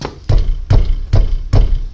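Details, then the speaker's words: Peugeot 307 front end, microphone held close while the wheel is struck: heavy low clunks, the knocking felt on cobblestone roads as if the front is falling apart. "que quando você vai no calçamento, cara, mas isso bate com vontade, tá? E parece que a frente tá desmanchando, porque bate nesse lado e bate naquele lado e lá, tá?"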